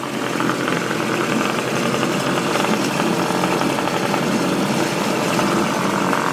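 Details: Small two-stroke outboard revived after sitting many years, new spark plugs, fuel and oil added: busy, buzzy idle, fairly steady with slight unevenness; rough running that is clearing up, possible leak near siliconed area.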